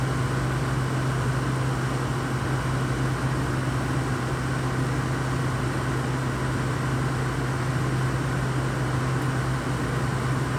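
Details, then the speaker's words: Used, cleaned Frigidaire window air conditioner, about 83°F outside in sun: only a steady fan rush and low hum, with no compressor thump or cycling; owner hears no compressor, though the air feels pretty cool. Compressor not running. "I don't hear the compressor. Air feels pretty cool."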